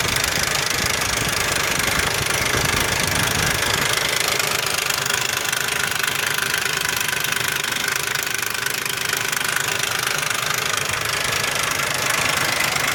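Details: 2001 Ford Explorer Sport 4.0 SOHC V6 at idle: loud, constant, steady metallic rattle, with low compression on all 3 right-hand cylinders. Owner suspects the rear RH timing chain or cam sprocket, unconfirmed.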